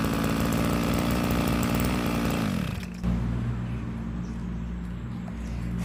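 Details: Old two-stroke grass cutter that ran only with the choke closed and died when it was opened; the carburetor needle was suspected of being set too deep and starving it of fuel. A high buzz holds a steady rev, then drops to an even low idle, running normally.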